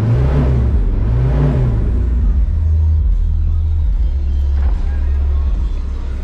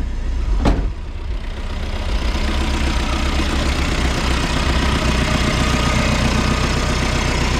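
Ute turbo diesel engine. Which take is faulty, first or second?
first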